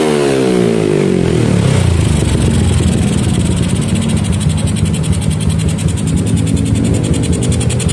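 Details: Yamaha Jupiter MX single with a PE28 carburetor, after carb setting for hard starting: a quick rev falls back to a steady, even idle with no stumbling or popping; normal running and revving.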